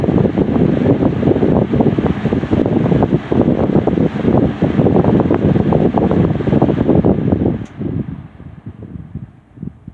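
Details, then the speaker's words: Lasko Premium 3723 box fan, made late 1999 with the Marco motor, before cleaning and service: steady whoosh for about seven seconds after high speed, then it dies away fast instead of coasting. Owner suspects dry bearings needing oil. "So, yeah, you saw how quickly that came to a stop. This thing is definitely going to need some oil."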